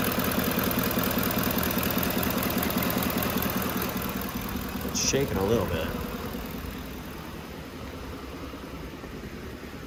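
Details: 2011 Lincoln Navigator V8 with an aftermarket calibration and about 600 rpm commanded, which shudders at stops and idles high. Warm idle with a slightly lumpy, uneven beat; a bank 2 misfire is upsetting the idle.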